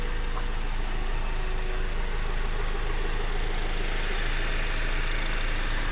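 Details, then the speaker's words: Honda Accord i4 sedan idling, recorded with the hood closed after a trip: even, steady low hum with no knocks or ticks at a constant level; normal, healthy idle. "This is what it sounds like from inside. I just got back from a trip and there's the mileage. Can't really hear it from the inside."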